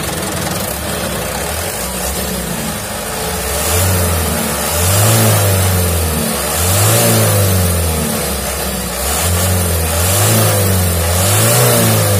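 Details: 2011 Mitsubishi Canter Super Speed diesel truck, after a broken injection pump timer was found and the pump reworked and idle adjusted: diesel clatter at idle, three even rev-ups settling smoothly, no misfire or knock; normal revving.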